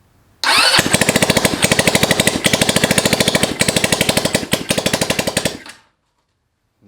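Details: Honda Ruckus scooter engine running for the first time with no exhaust fitted: sharp, rapid popcorn-like crackling over a small buzzy engine in uneven bursts; the popping comes from the open exhaust port.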